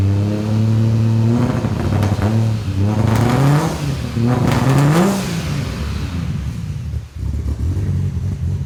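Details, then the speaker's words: 1984 Ford Falcon XE wagon, turbo Barra six with Haltech Elite 2500 ECU, R35 coils and variable cam timing, at first start: repeated revs with a coarse, raspy exhaust edge and blow-off valve moving; rough running before tuning. "sounds like a rb with a power fc [Music] it is a bit raspy"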